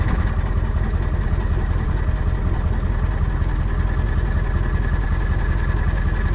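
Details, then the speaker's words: Diesel truck at a rough, lumpy idle with an uneven thump about two and a half times a second; a few missing injectors cause misfires, with valve covers to come off and injector cups to be replaced. "Hope you can hear by that idle. We got a few missing injectors."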